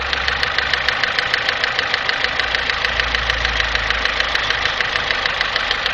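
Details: 1997 Daewoo Nexia, G15MF engine, idling: sharp, even ticking about three per second over a steady idle; engine knock, cause not yet pinned down.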